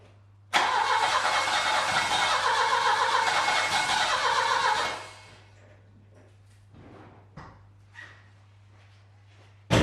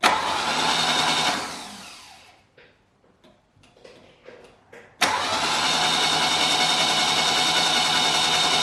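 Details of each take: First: Saab 900 Classic, first start after years of sitting, following a Zenith/Stromberg CD175 carburetor rebuild, fuel tank cleaning and float bowl pre-fill: the engine catches, runs a few seconds with an uneven lumpy beat, then dies. It is smoky, and the owner suspects the timing. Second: Saab 900 Classic after years of sitting, test-cranked after the starter was overhauled and a new starter wiring loom fitted, with the valve cover and intake manifold off: a strong, even whirring crank in two bursts, no grinding or clicking. The starter works properly.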